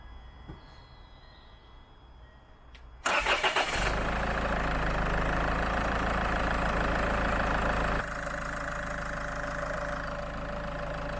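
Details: Land Rover Freelander 2 diesel during an injector purge with Wynn's diesel purge, fuel pump fuse 22 removed. Short crank, catches at once and settles into a steady, even idle clatter with no stumbling: normal idle.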